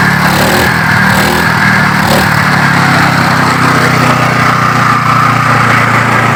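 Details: Yamaha water pump engine parked over 20 years, now started: small petrol engine running steady and even with constant buzzing drone; normal steady running.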